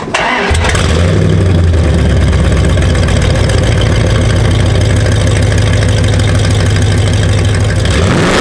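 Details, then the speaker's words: 2nd-gen Ram truck before a long-tube header install, on a chilly April day: engine cranks, catches and settles into a loud, raw, flat, unmuffled rumble; owner suspects big holes in the old headers. "I'm interested to see how bad these headers are I've been under air I think there's a couple of really big holes but anyway we're going to find out for sure"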